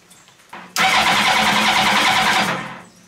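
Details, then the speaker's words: Mini trophy truck with a motorcycle engine: about two seconds of fast, even cranking with no firing; no spark, FI light flashing, kickstand switch bypassed; cause not found. "still no spark let me check for kickstand s sensor kickstand switch is bypassed"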